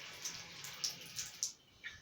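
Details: Faucet after repairing the cartridge valve (кран-букса) to cure humming: soft, steady hiss of running water with light splashes, no hum or whistle; repaired tap flowing quietly.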